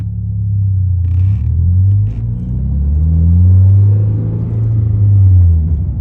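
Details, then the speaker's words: 2023 Toyota GR86 driven on the road with a newly installed aftermarket exhaust in place of OEM. Deep, smooth rumble rises and falls with throttle, with mild low drone that the owner considers typical of aftermarket exhausts. Healthy, nothing irregular. "I mean, for the most part, I think every aftermarket exhaust has a little bit of drone. I really don't mind it."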